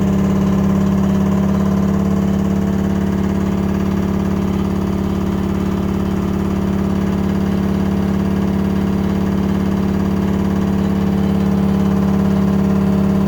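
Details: LG washing machine on spin cycle: loud steady drone with a strong low hum that stays constant throughout; noisy spin, cause not identified.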